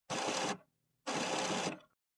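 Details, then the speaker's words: HP Officejet Pro 8500a Plus (A910n) printer, printing a status report while troubleshooting paper pick-up: two short whirring bursts, each about half a second, from the rubber paper pick rollers rotating normally. "Listen for the rubber paper pick rollers. You should be able to hear them rotating."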